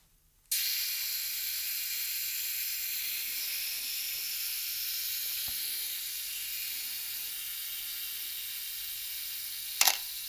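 A fast, high-pitched whirring tick runs steadily, then ends in a sharp shutter clack: a mechanical self-timer working normally.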